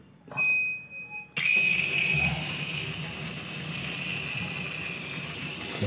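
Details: Polytron single-tub washing machine: water rushes steadily in with an even hiss, no humming from the inlet valve, after cleaning the dirty water inlet that was filling too slowly and buzzing.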